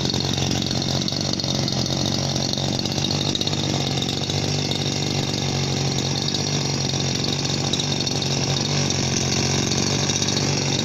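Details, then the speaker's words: Chinese RBC411 two-stroke brush cutter, about 8 years old, fuel always mixed at the correct ratio; steady even buzzing idle with slight fan noise, no surging, stalling or rattles; normal idle, though the gear head whines when revved. "มีเสียงพัดดังนิดๆแต่ไม่มากครับ"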